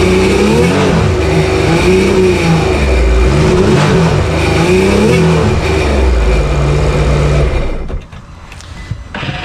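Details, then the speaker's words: Cheap Sea-Doo two-stroke jetski after a fuel pump fix, running on the hose, revved to about 4000 rpm to blow the water out, then cut off. It runs clean and healthy on a successful test run. "Like just back forth, back forth, back forth, rev it, blow the water out."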